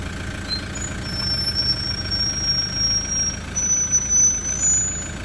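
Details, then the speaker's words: Toyota Land Cruiser Prado 120 rear brakes with genuine pads after bedding in, rotors since replaced: thin high-pitched squeal near 6 kHz with fainter higher tone over low vehicle rumble during light braking; squeal returns after a while. "The idea of this video is to show you the brake squeal from genuine rear brake pads."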